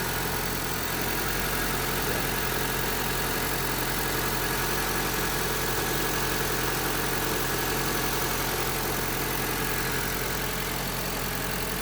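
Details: Honda Civic at idle after replacing the worn belt tensioner bearing and idler bearing; smooth, even idle with no chirp, squeal or bearing growl from the belt area. Noise gone, normal idle.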